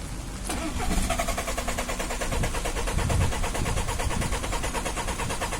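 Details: Hard start with white smoke: the starter catches about half a second in, then a long run of rapid, even cranking pulses follows without a clean catch.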